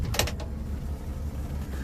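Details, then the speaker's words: 1962 Rambler American 400 given a little gas: a clunk, then a steady low growl from the front of the engine bay. Owner suspects a bearing. "But I can hear that growling bearing noise. Let's see if you can hear it too. It just unnerves me a little bit."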